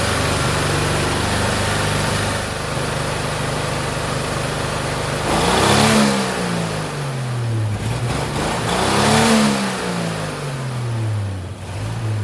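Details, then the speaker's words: 1963 Chevrolet C10 Stovebolt straight six, all six cylinders reconnected after valve lash adjustment, at high idle: uneven revving, lumpy beat with dragging miss; rough running from low compression. "Well, it's not 100%, but definitely sounds better than with just 3 cylinders."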